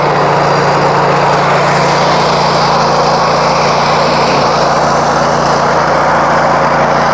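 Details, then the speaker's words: Honda iGX800 high-torque engine on a hot water power wash trailer, throttled up with the trigger pulled: loud, steady, even roar under load with no knocks, misses or surging; engine pulls strong and sounds healthy. "well you hear that you can hear that torque in that motor"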